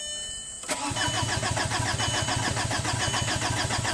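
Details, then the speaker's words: 2005 VW Passat TDI diesel, crank no-start after a complete engine and transmission rebuild: the starter spins the engine at an even churn, about three or four pulses a second, but it never catches. No lift pump is heard running, so the low-side lift pump is suspected. "it's definitely a problem right absolutely okay so now let's go after this low low side lift pump see if we can energize it manually see if it runs"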